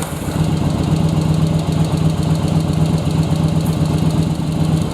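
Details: Second-gen Yamaha Virago V-twin, restart after rear-cylinder air/fuel mix adjustment with carbs synced: steady, regular idle thump about four beats a second, both cylinders firing evenly, rpm recovering, no stumbling; running properly.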